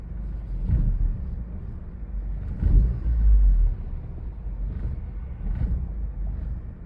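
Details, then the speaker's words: Audi A4 idling, lurching and sagging unevenly, dipping almost to a stall every couple of seconds before catching, eventually cutting off; throttle response also rough; rough idle nearly stalling. "it almost died right there I'm going cut it off look what the hell it's like it wants to die so bad"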